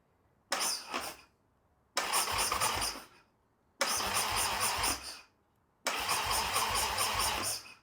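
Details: Harley-Davidson Sportster build, first start after sitting, fresh oil, carburetor cleaned, DIY throttle: four short bursts of starter cranking with no firing or catching; cranks but won't start, starting fluid didn't help, spark confirmed at plugs.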